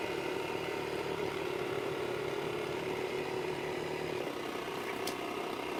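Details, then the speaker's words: Waterpik water flosser running normally: quiet, steady buzzing hum with a faint rattle and no surging or grinding; the loud pump noise is normal. "Okay, so it's normal to, it will make a loud noise. That's normal."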